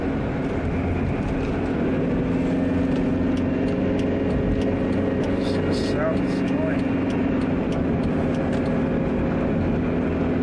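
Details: 2006 Dodge Caravan 4-cylinder road test cruising at 55 mph: steady low droning hum with a faint constant tone over road noise; tiresome drone under load, cause not pinned down.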